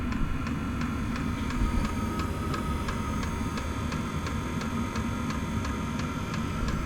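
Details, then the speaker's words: Inexpensive diesel heater running and heating a shed workshop; crisp even ticks about three per second over steady low roar; fuel dosing pump ticking audibly while running, cause questioned by owner. "so you can clearly hear that audible ticking if someone can put down in the comments and let me know I'd appreciate it"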